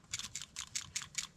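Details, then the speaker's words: Old PCV valve just pulled from a 6-cylinder 3rd-gen Toyota 4Runner, shaken by hand: light, sharp ticking about five times a second; the check ball moves freely, so the valve still works, but it is being replaced anyway. "It's still making noise. So usually that's all right. That means it's still good if it makes that"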